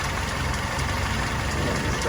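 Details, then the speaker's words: Willys CJ2A engine running at idle after restoration, smoking less than before: an even idle with a faint quick light tap over the exhaust beat. The cause of the tap is not yet identified. "she's not smoking near as bad now but uh got just a little bit of a tap over here you can hear it just at idle"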